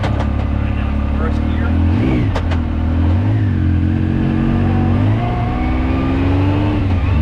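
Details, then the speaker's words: 2019 Yamaha YXZ1000R SS side-by-side, 5-speed gearbox with clutch and paddle shifters, driving around the neighborhood: engine pulling under load with a faint tone rising and falling with road speed; normal gearbox whine. "So let's take this thing for a quick spin, just so you can hear the gearbox whine and see how fun this is."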